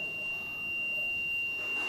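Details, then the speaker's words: Multimeter on continuity testing the switch of a molded 3-socket, 1-switch board: steady high beep of about two seconds in a quiet room, showing connection is good; no beep would mean a burnt-out switch. "Connection correct ಇದೆ ಅಂತ connectivity correct ಇದೆ ಅಂತ"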